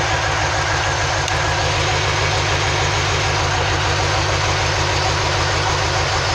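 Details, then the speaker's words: 2003 Chevy Silverado 2500 6.0 V8, P0300 random misfire code: uneven loping idle about 200 beats a minute while unplugging cylinders one at a time; one cylinder not contributing, dead cylinder misfire. "what we're gonna do is while i'm plugging the cylinder like this well that cylinder really ain't doing the oven that cylinder is hit"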